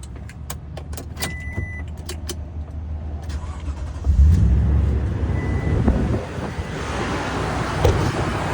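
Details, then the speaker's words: Toyota Tundra V8 cold start, recorded with engine bay open: clicks and key, then engine catches and settles into a deep even idle with big trucks rumbling behind; nice normal cold start. "We can hear the big V8. There's also big trucks behind me here, but nice cold start on the Tundra."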